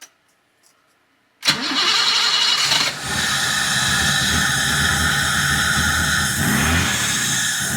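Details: 1980 BMW 528i (E12) after sitting, injectors cleaned and fuel pump run manually: engine cranks at a steady quick beat of about four turns a second with a hard hiss on top but never catches; cranking without starting.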